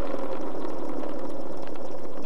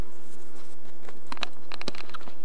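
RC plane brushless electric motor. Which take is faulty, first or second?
first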